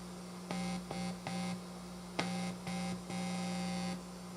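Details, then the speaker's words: Washburn Status Series 1000 bass with a newly shielded control cavity, played through an amp: a low buzz cutting in and out in bursts. All the noise goes away when the ground is held. Finding: grounding hum. "okay let me hold this grind here oh all the noise goes away awesome including the pickup feed what the hell is going on with this right"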